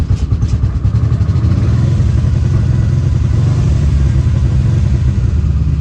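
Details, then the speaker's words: 1986 Nissan Maxima wagon 3.0 V6, abandoned for decades, first run: low lumpy, uneven idle; owner blames a serious fuel leak, and there is no oil pressure reading (gauge possibly bad); rough idle. "a pretty serious leak down here that's probably why it's not running that great"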